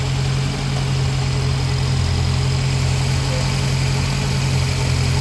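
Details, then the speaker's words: 1993 Honda Civic EG Si with an S2000 clutch master cylinder installed without a spacer, hard shifting and grinding, worse when warm: steady low idle with a thin metallic whir as the fork is pressed; worn throwout bearing. "shaking that's me putting uh pressure on the bearing bearing is making noise"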